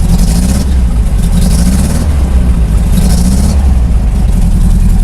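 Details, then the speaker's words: 1994 truck, OBD1, check engine light on: deep, uneven idle with a lumpy, bubbling pulse that keeps stumbling instead of settling, sounding like a cylinder missing; engine misfire. "what the noise I don't know if he tell was like bubbly sounds like missing and there's a check engine light she's on"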